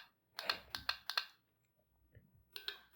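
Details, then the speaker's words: Car relay bench-tested with 12 V applied across terminals 85 and 86: crisp, sharp clicks in quick pairs and bursts as power is switched on and off; the bidirectional relay works from both sides, normal. "देखिए दोनों साइड के relay work कर रहे हैं, by directional है देखिए।"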